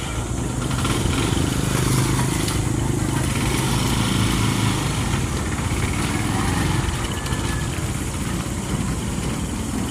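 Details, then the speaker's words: Honda TMX 125 single-cylinder after fix: faulty stator primary bypassed by converting to a battery-operated CDI fed from the battery or charger (original CDI still good); steady even idle putter, no misses or stumbles. "Bale ang problema yung kanyang stator yung primary yan. Kinonvert lang natin sa battery operated CDI para kukuha na siyang supply sa battery or sa kanyang charger."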